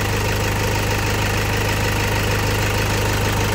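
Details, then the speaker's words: 2008 Toyota Fortuner diesel, previously crank no-start with no fuel delivered at the pressure pump, after replacing a part instead of the pump: smooth, even idle with steady low thrum, no misses or knocks; normal idle. "Ayan dito lang yung pinalitan natin. Umandar na siya. Ligtas na yung 42,000."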